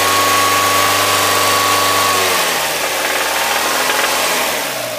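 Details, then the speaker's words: Mazda MX-5 on Castrol GTX 10W-40 with oil improver, after engine flush: light tinny tin-can tapping clatter at low revs as revs drop, gone once above 3,000 rpm; cause not pinned down. "can hear it's almost like a rust a tin can tapping or something like that it takes over the fine no problem once the revs are over three then it's fine again"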